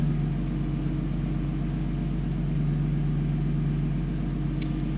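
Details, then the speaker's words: 1998 BMW E46 with a swapped, rebuilt M52TUB28 2.8L inline-six converted to turbo, first start after reassembly. Steady, even low rumble at about four beats a second with no knocks or ticks. Normal idle, no major problems apparent. "on n'a pas l'air d'avoir de gros problèmes majeurs"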